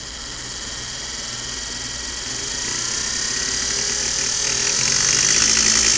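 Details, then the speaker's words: Singer Model 99K sewing machine motor running: smooth high-pitched whine climbing steadily as the pedal goes down, no rubbing or clatter; motor runs strong and normally. "with the strong run a little motor"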